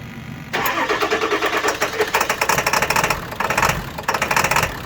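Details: 7.3 diesel clatters to life and settles into an idle whose rhythm stumbles and sags now and then; intermittent rough idle that sometimes stalls.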